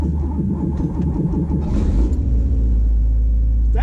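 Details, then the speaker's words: Porsche 911 2.8 RSR build flat-six, cold start with no throttle after injector and cranking-prime tuning: a short crank, then it catches quickly and settles into a steady, even low rumble; a good cold start. "better that was better there was no throttle then and it started up better so uh good start good sign"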